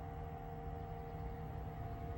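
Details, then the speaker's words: Newly installed replacement 4-speed roof vent fan in solar-powered DIY camper van, low speed: soft steady hum with even tones, no rattle or scrape, barely audible; normal fan running. "But it's running right now. You can't even hear it. It's super, super quiet. It's got 4 speeds."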